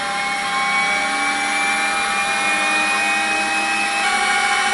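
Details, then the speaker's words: Sperry C-5 direction indicator gyro (1949 design), 3-phase 115 V AC 400 Hz, spinning in corrected direction: smooth, steady high-pitched whir with several even tones, no rubbing or grinding; sounds much better, spinning freely. "Similar noise, huh? Maybe a little bit better. It Sounds much better."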